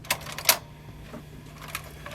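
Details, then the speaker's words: 1983 Marantz SD330 cassette deck after transformer repair and new motor and belts: sharp mechanical clacks as play engages and drops straight out while the motor keeps humming; deck won't stay in play. "so something is going and stopping immediately yet the motor still runs"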